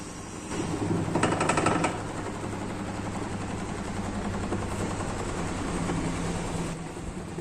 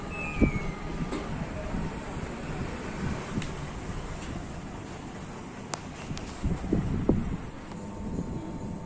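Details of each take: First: LG top-load washing machine during spin: loud rough rumble with fast rattling clatter, running like a generator; noise this loud means the worn gearbox must be replaced. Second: LG top-load washing machine after gearbox replacement for loud spin noise: spin runs with only a low, steady rumble and no grinding, knocking or whine; normal quiet spin.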